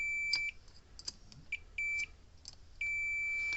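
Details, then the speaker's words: Cyclops Boss electric fence charger, three circuit boards checked with a meter: long, steady continuity beeps showing shorts; all three boards are bad. "all three of those are bad"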